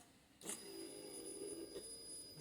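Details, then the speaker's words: 2004 Kawasaki ZX10R, stored 3 years, with new tank, pump and iridium plugs, before first start-up: relay click then steady high-pitched electric hum for a couple of seconds; fuel pump priming normally. "that's the sound of the tank priming that's a good sign that means my fuel pump is working yes"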